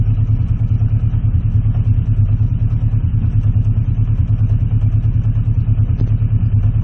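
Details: Warm Honda CB650C Custom after carburetor cleaning, pilot screws being adjusted toward about 1,000 rpm idle. Deep idle with an uneven, lumpy pulse around three beats a second, stumbling as if choking; cause unclear. A clicking noise is still there.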